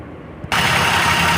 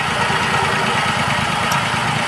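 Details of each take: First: Maruti WagonR CNG/petrol car that misfired on petrol only, started on petrol after rewiring the injector control wire: it catches and settles into a steady, even idle with no misfiring. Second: Maruti WagonR CNG/petrol three-cylinder running on petrol: uneven lumpy idle with irregular low thump from one cylinder misfiring; runs perfectly on CNG.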